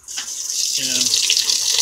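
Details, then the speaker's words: Whirlpool washer with all-lights-on fault, in diagnostic test mode: cold valve test, a click then steady strong hiss of water filling the tub; cold inlet valve working normally. "so yeah we'll cycle on to the next one which is one light on this cold Val link check this with the lid opening"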